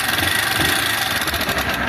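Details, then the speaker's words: 160 motorcycle at idle: a fine, rapid, high-pitched metallic rattle rather than a deep connecting-rod knock, diagnosed as worn cylinder and piston, possibly also worn rollers. "quando o barulho tá fininho assim aqui de cilindro as rodinha pode estar ruim também tá B sim agora se tivesse um barulho aqui ó toc toc toc toc toc toc seria biela mas aqui cilindro só tranquilo"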